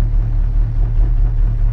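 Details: Square-body diesel idling after fuel system rebuild with new tanks, running on the right tank after switching: deep steady even rumble, no knocks or stumbles; switcher, pickups and gauge work, no leaks.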